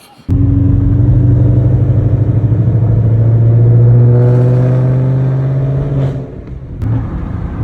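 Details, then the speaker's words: S650 Ford Mustang GT V8 with an aftermarket exhaust, going back to the muffler shop to have it removed: a deep, boomy rumble that swells as revs climb, then drops back, droning harshly throughout; the owner says it sounds terrible. "It sounds terrible, man."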